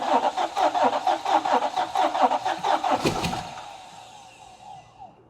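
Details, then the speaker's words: 2017 Nissan Titan 5.6L V8, about 164,000 miles, losing half the engine: cranking compression test on one bank with even, steady beats reads 200 PSI, which is normal. A mechanical issue is suspected elsewhere. "That's pretty good. Okay, we're good. Sounds like you got compression. 200 PSI."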